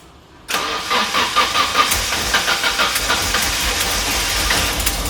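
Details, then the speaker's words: Nissan S13 Sil80 with a newly fitted turbocharger, first start: quick start, then a settled, even idle with no knocks, rattles or whistles; the car sounds healthier than ever. "okay this car never sounded so healthy before to be honest"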